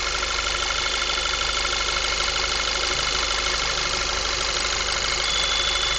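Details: 2010 VW MKV 2.0 TSI, about 1000 miles, APR stage I and Neuspeed intake, warm after driving: constant thin unchanging whine over smooth idle; owner suspects failing water pump, not confirmed.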